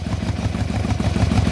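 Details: 1997 Yamaha Royal Star Tour Classic XVZ1300 V4, cold-morning first start, with brief choke then choke off. Steady, even low thump idling just under 1,000 RPM with no misses or knocks; it could be tuned up slightly.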